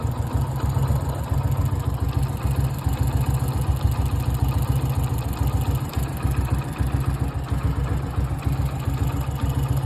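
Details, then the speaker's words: Motorcycle (Esplendor) idling with an uneven ticking clatter over the low thump, about three or four a second; owner says the strange noise appeared recently, source not identified. Abnormal engine noise at idle. "Amigos, alguno que me ayude, es que mi moto tiene un ruido extraño en esta parte."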